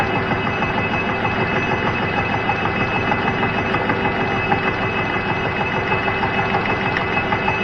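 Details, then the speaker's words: Cincinnati milling machine cutting across a hardened weld: steady rapid thump about three per second over the cutting noise as the hard weld comes around each turn; interrupted cut thumping. "will do to start so yeah you can really hear the thumping as that hardened weld comes around"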